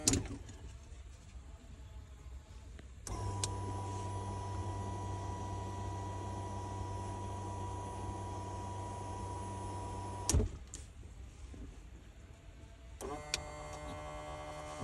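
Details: 2019 Mustang GT with Fore Innovations fuel system: steady high whine for about seven seconds over a low hum, then cuts off; rough-sounding bad fuel pump.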